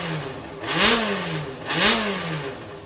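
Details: Yamaha XJR400 (4HM) inline-four complete engine assembly, compression tested, no abnormal noise or white smoke; idles then blips twice, pitch rising and falling cleanly with no knocks or rattles; healthy normal running.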